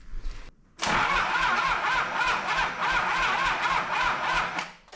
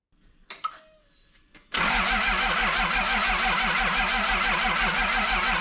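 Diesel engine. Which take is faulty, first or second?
first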